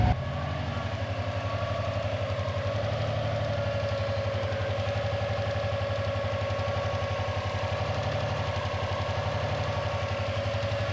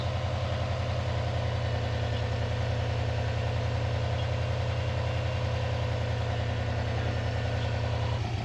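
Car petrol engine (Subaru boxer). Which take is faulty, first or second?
first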